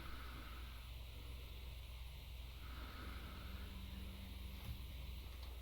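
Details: ResMed AirSense CPAP after quick fix taping the rattling water tank lid down: smooth steady airflow hiss and low hum, no clicking as the user breathes in.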